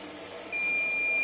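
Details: Havells smart RO+ water purifier, not filling, no waste water, motor not running: quiet background then a sudden continuous high-pitched beep holding steady; error alarm sounding, reset attempted.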